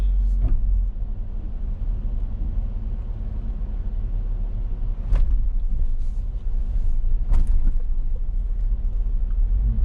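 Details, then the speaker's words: Jeep with larger tires after a PVC-pipe tailgate bump-stop fix, driving over bumps: steady road rumble and dull thumps with no loose metallic rattle from the tailgate, a lot better than before. "A lot better."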